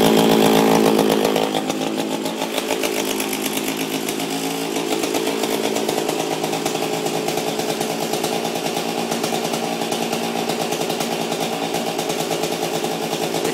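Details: Oregon chainsaw with a Chinese two-stroke engine and the chain removed, run to empty the fuel: it starts and revs with a sharp, even buzz that holds steady without stumbling or misfire. Runs well for an old saw.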